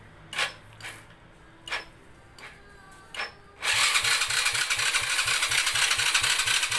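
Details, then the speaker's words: Honda Dream 100 motorcycle, freshly rebuilt, battery full: a few clicks, then the electric starter spins with steady chugging about five beats a second but never fires, while kick start works; worn, current-hungry starter motor cranks too slowly. "นี่นะครับสถานมันจะเป็นอย่างนี้นะครับแล้วมันก็จะไม่ติดนะครับมันเกิดจากอะไร"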